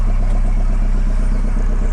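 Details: Boat engine running about 10 minutes after two weeks unused, slightly smoky, no fumes smelled; steady, even low thump at constant speed with no knocks or misses; normal running.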